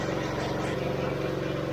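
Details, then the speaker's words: AR45 pressure washer pump with new gearbox, after replacing both following a leak after 14 months of use; engine-driven pump running the next morning with a little air still in it, primed immediately; fast even pulsing over steady engine drone, no stumbling, normal running. "you can hear the air in it here trying to make sure we all primed up make sure the oil"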